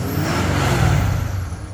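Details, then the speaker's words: Ford Powerstroke diesel, engine warm: catches immediately, swells briefly, settles into steady even rumble; healthy warm start and idle. "sounds really healthy starts right up no it's not like I said it's warm"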